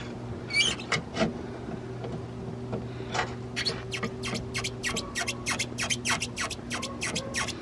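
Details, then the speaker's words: Front control arm bushes on a cheap BMW E90 3 Series, checked after MOT advisories and likely original, levered with a screwdriver: irregular sharp creaks and squeaks with loose movement; worn bushes, both front control arms need replacing. "I mean, this isn't even a proper pry bar, this is just a screwdriver, but you can see just how loose they are, and this is squeaky as well."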